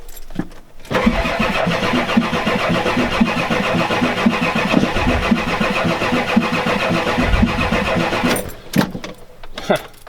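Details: 1993 Ford F-250 7.3L IDI diesel, glow plugs disconnected (boots burnt), fuel now present: starter spins engine steadily for several seconds on ether with no firing; owner concludes bad/no compression.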